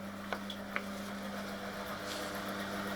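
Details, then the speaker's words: 1996 washing machine commutator motor after fitting new brushes and bearings, belt tension set: steady even hum at constant pitch with a couple of light clicks, no brush sparking; motor runs smoothly, bearings rumble slightly. "I'm gonna see if there's any brush fire. And there is none. Sounds good to me."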